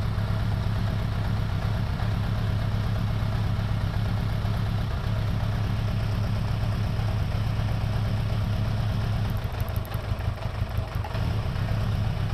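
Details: 2002 Suzuki Bandit 1200S four-cylinder after fixing a vacuum-port leak: uneven idle with an irregular stumble in the low exhaust beat; still dropping cylinder number three, spark present, no fuel, number three carburetor likely at fault.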